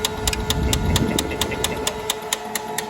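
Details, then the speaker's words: Canon iR2224N copier: sharp, even ticks about twice a second over a steady hum while running, because the black and white transport locks were never removed; fix is removing them. "Run करने के बाद machine में sound आ जाता है।"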